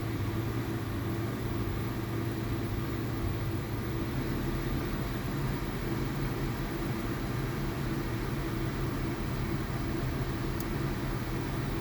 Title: VW Polo TSI 1.2 misfire and low RPM engine vibration